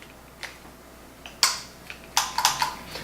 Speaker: so the way this thing works in turn it off the way this thing works is the first switch which you can hear clicking